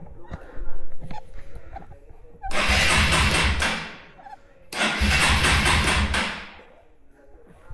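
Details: Hero Eco 150 single-cylinder motorcycle starting right after carburetor cleaning and reassembly with fuel opened: two separate bursts of catching and revving for about a second and a half, each falling away to near quiet.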